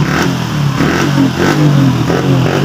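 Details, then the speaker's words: Honda Wave CX110 revving: engine stumbles in uneven bursts; the misfire persisted after a new spark plug and a carburetor check, and was caused by a faulty CDI, fixed by converting to a 4-pin CDI. "Bumili ka lang ng bagong cdi kasi ito Sira na to ah binuga na namin to ng wd40 pero Ganon pa rin"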